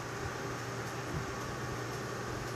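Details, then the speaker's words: AMD FX-8350 CPU with Cooler Master Hyper 212 Evo replacing stock cooler, after about 5 minutes of FarCry 3 at ultra settings: soft, steady airy hum with faint low drone, no ticking or rattle; normal, much quieter than stock. "I mean, it's making some noise, but compared to what the stock cooler fan sounded"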